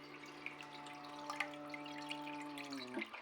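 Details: Newly installed toilet cistern humming loudly like a steamship during refill after the small-flush button: steady low hum with even overtones over running water, stopping as refill ends; fill valve vibration suspected, not confirmed.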